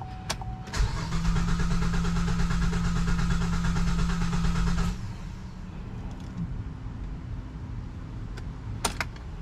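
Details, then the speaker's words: 2007 GMC Acadia salvage rebuild that sat a while, after a new battery, alternator and belt: fast even cranking, then a weak uneven rumble that won't hold. Starts only for a second; owner suspects it needs a fuel pump. "yeah I hear it starts for a second it comes right back up okay"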